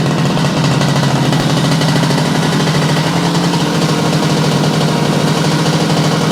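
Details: Yamaha YL2C 100 Trailmaster two-stroke, first start after reassembly and float readjustment: a loud, rapid, raspy buzz holds a steady pace on choke, cold and on leftover premix; it keeps running but won't run cleanly without choke.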